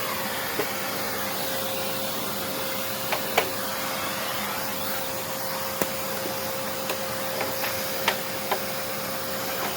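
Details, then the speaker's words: Hoover Encore U4595 vacuum test run during refurbishment: smooth, steady motor whine at constant pitch with only a few light ticks from dirt being picked up; the motor works and sounds really good. "Oh, I think that works. That sounds really good."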